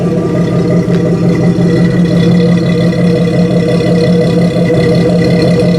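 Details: Jeep 4.0L after swapping to new 12-hole injectors and ECU reset; steady mid-pitched idle with light even clatter, no stumbling or misses; ECU may need up to 50 starts to learn; normal idle.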